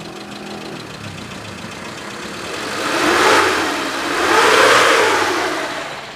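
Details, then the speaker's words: 1995 Suzuki Carry Futura Realvan DRV, 1300 cc petrol engine: idle swells into two clean revs and settles smoothly with no knocks or rattles; no white exhaust smoke, healthy. "Jadi ini mobil suaranya langsamnya masih enak, kita geber pun masih enak."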